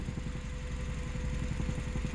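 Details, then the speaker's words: Suzuki Aerio that smells of fuel when warmed up in the garage, scanner shows no fault codes: idle has an uneven pulsing low throb and shake, not misfiring but vibrating; rough idle, cause not yet found. "keras banget ini Nah Enggak pincang tapi bergetar ya mesinnya ya"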